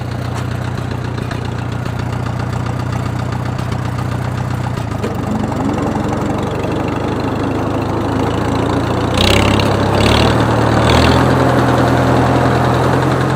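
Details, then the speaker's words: Farmall H tractor engine used for road mowing, heard while mowing under load: deep steady thumping under the low exhaust note, seeming to come from one side of the motor, louder under load, unchanged with clutch in or out. "it sounds like it's coming from right in here more on this side of the motor and it gets to more of a deep thumping noise when you get it under load"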